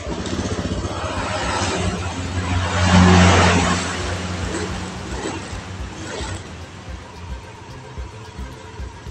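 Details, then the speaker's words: Honda Beat Street scooter that suddenly died, electric starter failing, weak battery suspected: kick-start churns, engine briefly flares to rough rev around three seconds then fades; nearly fires but won't run. Battery then replaced. "Được rồi các bạn, vậy là khi tôi quay nó, nó muốn khởi động bắt đầu, nhưng đối với bộ khởi động kép thì không."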